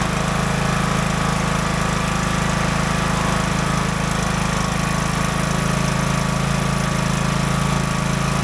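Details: Craftsman DLT 3000 riding mower, about 2010-2015, after engine repair and reassembly with the shroud back on; the single-cylinder engine runs a steady, even drone with no knocks or rattles while driven through the gears, healthy.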